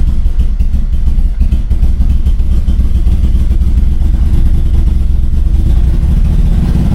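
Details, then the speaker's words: Turbo Toyota Corolla after fuel pump priming, continuous fast cranking that never catches into an idle; cranks but won't start, with no check engine lights and a fuel supply issue suspected. "Like, it sounds like it's like so close to starting and then it just doesn't want to start. And like, I have no check engine lights."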